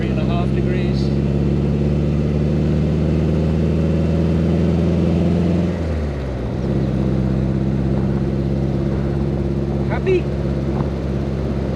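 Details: 1961 Triumph TR3A four-cylinder after fitting a Pertronix distributor with integrated electronic ignition and setting the timing: steady, even drone that dips briefly around a gear change, then settles; normal running.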